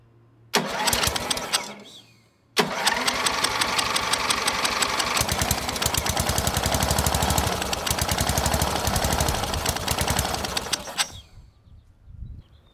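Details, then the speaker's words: MTD riding mower with a Briggs IC engine (model 28D707), about 27–30 years old, first start after nearly 20 years stored, carburetor not yet cleaned. It fires briefly and dies, then restarts and runs steadily about eight seconds; it sounds healthy. "sounded really good considering it's been 20 years since this engine has fired up"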